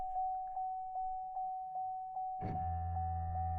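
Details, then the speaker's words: Vauxhall Corsa/Adam with ABS not working and no codes, pump triggered via scan-tool active test: steady pulsing beep then low, even motor hum without surging or grinding; ABS pump works, though not activating with engine running. "yeah the pump is working so you can hear the the hum from the pump"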